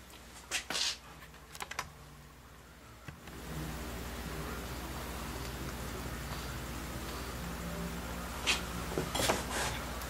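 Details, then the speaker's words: HVAC transformer crackling with scattered snaps and pops inside over a steady low hum, drawing 7 amps, overloaded by a shorted load. The transformer was not allowed to run until it failed. "Okay, I can hear it kind of snap, crackling, and popping inside there."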